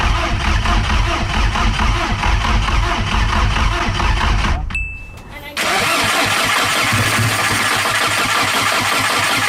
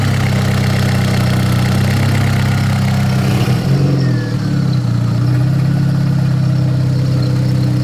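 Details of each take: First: Big turbo VW GTI, first start after rebuild, on jack stands: starter cranks in long even bursts, pauses, cranks again, never fires; throttle body codes showing no power, rewiring didn't help. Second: Big-turbo VW GTI after a rebuild, on jack stands, on a reflashed spare ECU: deep, steady, even idle with no knocks or misses, apart from a brief dip. Rich air-fuel ratio, decent vacuum, oil pressure good; normal idle.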